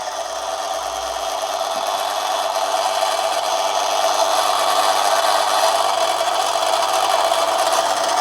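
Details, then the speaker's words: Manson lathe turning a 1/2-inch brass bar at about one-fifth normal brass speed, very fine light cut: steady even whir with soft hiss, no chatter, knock or squeal; lathe cuts smoothly under light load. "okay here we go very very very fine cut i'm not going to put too much of a load on"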